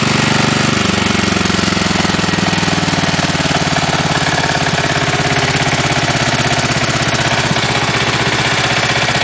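Hollow, regular knock beating in time with a small engine's idle, clearly louder than the run itself; classic piston slap.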